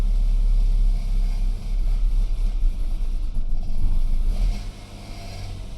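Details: 2008 BMW E92 320i N46N, first morning cold start under 18°C: lumpy, hunting idle sagging and recovering; fine when warm, no codes; persists after new VANOS solenoids, plugs, carbon cleaning; new coils and cleaned throttle body untested.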